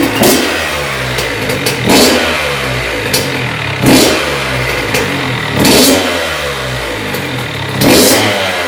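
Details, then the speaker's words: 2001 Honda CR80 two-stroke after cylinder head, studs and gasket repair for a head coolant leak; no leaks from head bolts or hoses. Crackling idle snapping up in crisp short blips about every two seconds, clean and even; normal revving. "Well, she's all good that I know of. Should be all set. Doesn't look like she's leaking anything out of the head bolts or any of the hoses."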